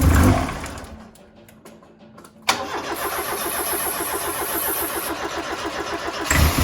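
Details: Ford Fiesta RS Turbo that sat 17 years in a garage: long labored cranking, then it catches and runs rough and uneven under throttle; hard starting, long crank, fuel starvation from the pump suspected.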